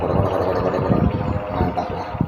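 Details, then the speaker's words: Steel-blade electric fan that stops after about 5 minutes, running at low speed: rough uneven low chugging like a diesel with loose irregular knocks; motor coil fine, shaft and bushing worn. "W suaranya kayak diesel ya. Tok tok tok tok tok tok tok tok."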